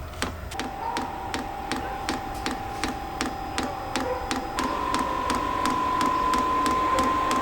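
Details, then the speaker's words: Vevor diesel heater for an F250 overland build on first startup test, run off a small battery: sharp, even fuel pump ticks, two or three a second, over a rising fan whine before fuel is seen coming through. Normal fuel pump ticking during startup. "let's just see if this works start heating so the pump just started pumping so far though I'm not seeing any fuel come"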